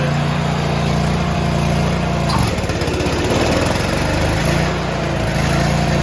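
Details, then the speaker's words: John Deere tractor snow thrower drive belt running. A steady small-engine drone turns lower and rougher for about two seconds as output torque is increased, then returns to normal: belt noise changing under load. "did you hear the the uh belt change and how it sounded differently that's because I increased the torque on the uh the output of this so I'll go back to normal you can hear the difference right away"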